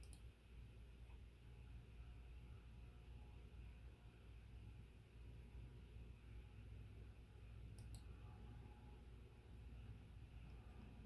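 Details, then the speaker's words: Envirofan Decorafan 48" ceiling fan model 448-N on a test rig with solid-state speed control; soft even low hum, no ticking or rubbing, not silent but nearly so, normal quiet running. "It's not bad. It's not silent. Damn close though."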